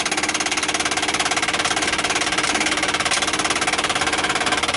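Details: 1959 Ford Galaxie Fairlane 500, engine off, battery just connected: fast, even clatter of about 3.5 ticks per second from the dashboard clock's auto-rewind; unhooking the clock's inline fuse stopped the noise.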